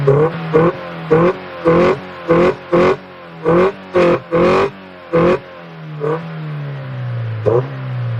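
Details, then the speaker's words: Honda del Sol single-overhead-cam VTEC engine just fitted with a new carbon fibre intake, camera near intake: about a dozen short throttle blips with deep intake roar, each dropping cleanly back to steady idle; normal revving. "the intake sounds really good that's for the exhaust it's a nice tone like it's not like a rice burner you know your typical Civic rice burner type of sound"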